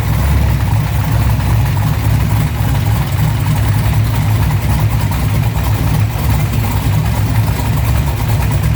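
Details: LS-swapped Monte Carlo SS G-body after a low-oil-pressure fix, run to check the oil pressure, no shavings found at the cam or filter: a steady, deep, even V8 idle with no ticking or knocking; sounds healthy, normal idle.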